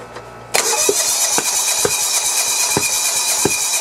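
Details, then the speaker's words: John Deere 170 with Kawasaki FC420V, head gasket replaced and flywheel key checked: catches with sharp irregular pops under a hiss, backfiring out of the carburettor with visible flame; owner suspects a valve or timing problem. "yeah it's backfiring out of the carburetor"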